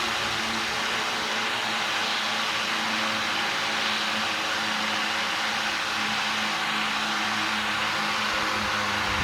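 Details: 1950s IEW Tara 16-inch vintage table fan with a DC series motor, running on medium speed; a steady, even air rush over a low motor hum with no ticking, scraping or wobble, so it runs smoothly.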